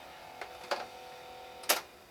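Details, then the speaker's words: Panasonic cassette deck, pressing play gives only dry clicks, no motor or tape movement; owner suspects missing or melted drive belt, everything else works; cassette not playing. "once again hit play needs a belt the Belt doesn't is non-existent or you know melted or whatever but everything else works"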